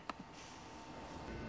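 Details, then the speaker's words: VW/Audi 2.5 liter N80 EVAP purge regulator valve under the hood, actuated via VCDS output test: a few sharp, crisp clicks, valve switching as commanded; flow not verified, suspected intermittently sticking open from carbon. "First one being the Evap purge valve, which you're gonna click activate, and then you should hear the Evap purge valve under the hood clicking."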